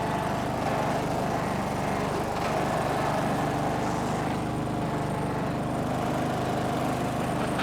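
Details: Snapper riding mower, garage-stored by the original owner, runs after the angled fuel tank that starved it of fuel was set back in place; a steady, even drone at constant speed, no misses, knocks or surges, normal running.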